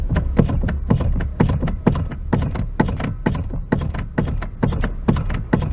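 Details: 1997 Fiat Uno steering worked back and forth: repeated dull toc-toc clunks about twice a second, seeming to come from the front suspension and felt through the steering, caused by a loose steering-column cardan joint bolt.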